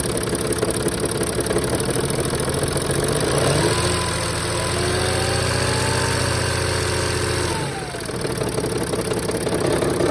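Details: 2007 Sprinter NCV3 3.0L OM642 diesel idling with the accessory belt off and noisiest injectors already replaced: rattly clatter and rough chatter through a rev; owner suspects bell-housing gear chatter or torque converter, an exhaust leak, and injector knock.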